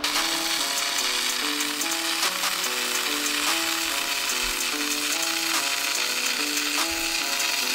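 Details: Cheap TL-1355 LT stick welder on a 1/16 in rod at 65 A: steady, even crackling sizzle from start to finish with no popping, sputtering or fan surge; a smooth, stable arc.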